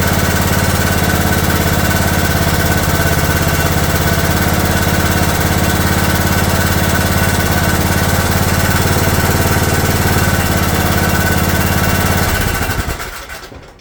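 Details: Craftsman riding mower after rebuild (new coil and/or rectifier, push-button start switch, fully rewired), hood off: fires and runs at a steady, even speed with no stray ticks, then winds down at shutoff; normal running.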